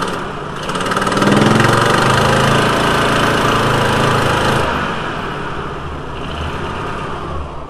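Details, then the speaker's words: VW T4 2.5L with intermittent rough running when cold: revs then settles into an uneven, lumpy, stumbling idle; broken cylinder one intake valve spring holding the valve open caused the rough running. "nice and smooth again cylinder one intake valve broken spring pause valve flow ruff running"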